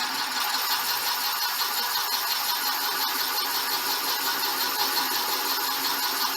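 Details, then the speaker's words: Boring a '59 Flathead cylinder with the boring bar reset to just touch the bore after the earlier judder: steady even cutting hiss with no pulsing; smooth cutting without chatter. "yeah that's cutting smoothly now with that no tip did you area i was judging before"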